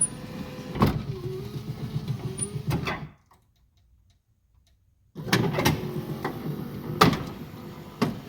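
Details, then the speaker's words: Lincoln Continental driver front window after motor removal and torque bushing repair: the window motor runs with an even hum, pauses, runs again, with small clicks at the stops; travel is much smoother than before. "a lot smoother you kidding me that almost never happens"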